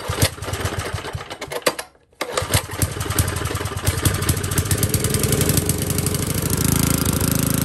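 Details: Old Tecumseh four-stroke edger engine, after a carburetor screw was loosened further, cuts briefly then catches and settles into a fuller, steady single-cylinder beat; normal running after carburetor adjustment.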